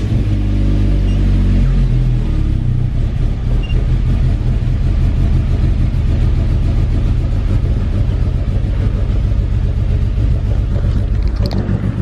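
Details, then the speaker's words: Car jump-started on a below-freezing snow day with totally dead battery: deep uneven rumble, lumpy wavering cold idle as if about to die, heavy smoke; cause unclear. "car starts but sounds really weird"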